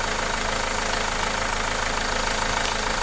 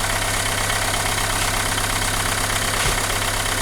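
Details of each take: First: Renault Megane 2 engine after repair: steady, even idle with no knocks or misses, no longer shaking; previously vibrated, shook and lacked power. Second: Renault Megane 2 engine: uneven shaking idle with a loose irregular beat over a steady hum. Engine vibrates and lacks power; misfire suspected, cause unconfirmed, cylinder-by-cylinder test follows.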